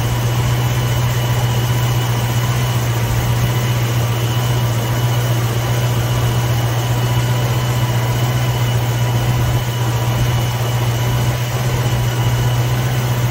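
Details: 1960s Ford Mustang 289 V8 automatic, described as running super rich: steady even idle, smooth low rumble, no misses or hunting; timing right on the mark, not jumping around.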